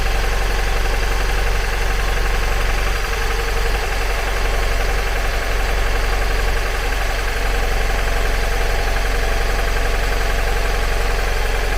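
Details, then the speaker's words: 2002 Mazda MX-5 Miata NB at idle: rough lumpy idle, steady uneven chuff about three beats a second, misfire on two cylinders; reconnecting the front coil makes no difference, coils already ruled out, ECU fault suspected. "I've got the front coil disconnected and I'm just going to start it up plug that coil back in and as you can hear doesn't make any difference whatsoever"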